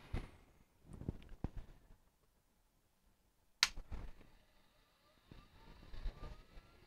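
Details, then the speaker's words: Macintosh SE at first power-on after reassembly during restoration: handling clunks, switch click, then soft rising whir of the cooling fan spinning up normally; drive light comes on but screen initially blank. "i hear the fan spinning up the drive light is coming on but nothing on the screen"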